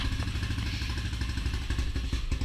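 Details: XR200 single-cylinder started on the second or third kick, before the chain was fitted and nearly out of gas. It settles into a steady loping idle with light mechanical clatter and sounds normal.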